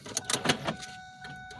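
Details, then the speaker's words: Ford door lock actuators give quick lock-unlock clacks after the ignition is turned off-to-on 8 times, ending on, to enter keyless remote programming mode. The locks cycle normally. "when you get to the right position, you'll hear their door locks, lock and unlock"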